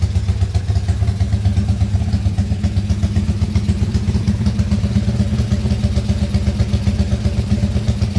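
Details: Motorcycle engine rebuilt under warranty after blowing up, crankcase repaired, freshly started and still tight, idling only to break in; even steady single-cylinder putter, no knocks, ticks or rattles; smooth healthy idle.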